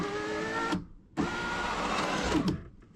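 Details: Driver's window on a white Honda, reassembled after removing the door panel to repair broken window parts: a smooth, even motor whir runs, pauses, runs again and stops cleanly. The window now travels normally.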